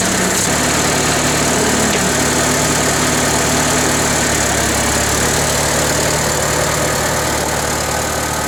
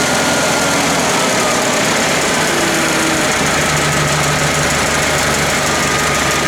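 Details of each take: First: International Harvester 354 tractor petrol engine at idle: uneven stumbling, spitting and sputtering after running well briefly, thought to be carburetor but caused by ignition, fixed with new points and condenser. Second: International IH 354 tractor, after cleaning the points and resetting them to 14 thou, running steady and even with no sputter; the hesitation was an ignition problem, not the carburetor.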